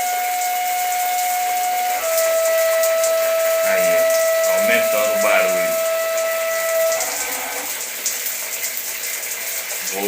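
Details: Shower running with a steady high whistle over rushing water, sometimes louder, sometimes absent; caused by a worn rubber washer in the wall valve.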